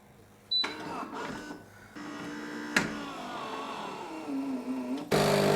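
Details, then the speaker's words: Philips 3300 superautomatic coffee machine, grinder bypassed with pre-ground coffee in the chute for espresso: the motor whirs and its pitch sags and wavers as the brew group pushes up and tamps the oversized dose, straining. "Could you hear it struggle there? That's the brew group actually pushing it up and tamping."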